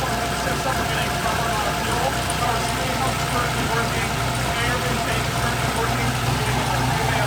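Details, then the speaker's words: Mazda Miata with LS V8 swap, first start in 7 months after fuel system, injector and intake updates, new cam fitted; cold start idling about 1000 rpm (850 target set with previous cam), steady choppy loping idle, good oil pressure; normal cold idle with lumpy cam. "the idle for this car set at 850 and that was with the previous cam for that choppy idol um so a thousand is actually pretty good for a cold start"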